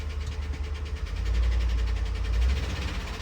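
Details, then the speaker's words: Police-auction Ford Crown Victoria ex-Indianapolis police K9 car, V8 at idle: fast, even, very loud valvetrain ticking over a low rumble; bad lifters suspected, apparently driven a long time while ticking; engine likely needs replacing. "Yeah. Lifters are bad with that one. Usually they're not that loud. That is incredible. They must have just kept driving this one while it's ticking."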